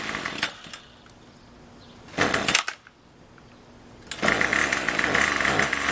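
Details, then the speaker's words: Craftsman Weedwacker gas trimmer 316.791191, MTD 27cc two-stroke shortblock with Zama C1U-P27 carb, rebuilt with new piston rings and gaskets; next-day cold start with a little throttle: a couple of pulls, then it catches and settles into a steady buzzy run, starting clean. "all right this is the next day cold start just wanna see how it starts no joke a little bit of throttle a little gas Chuck"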